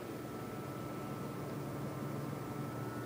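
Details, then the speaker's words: PC idling (AMD FX-8350 with Corsair H50 cooler, AMD R9 290 GPU, HAF-X case): faint steady low whoosh with light hum, no ticking or rattles; normal quiet idle. "that's the paste that I have right now and I've got good tips this is how it sounds when it's sitting at idle"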